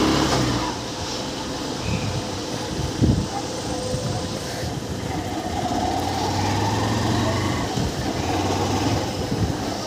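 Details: Honda Unicorn motorcycle after engine refitting: pulling steadily on the road with an even engine note and no knocking or rattle. The engine sounds healthy.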